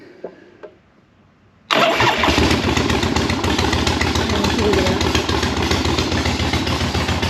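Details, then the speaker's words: 1976 Harley-Davidson Ironhead twin under rebuild, restarted halfway warm after the idle set screw ran it too fast at first: catches instantly and settles into a lumpy, uneven idle with a wandering beat; rough idle. "it took off with me when I first cranked it up but I had to I guess I had the idle set screw here a little bit too much"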